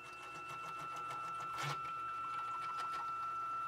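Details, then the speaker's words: Used, owner-built K2CNC machine jogging its Y axis (10 TPI ball screws). A rough, uneven rattle of about four per second sits over the motor, getting worse over time; the owner suspects bad ball screw bearings, unconfirmed. "you hear that grinding rattling or whatever something is wrong in the bearings it was really bad that time"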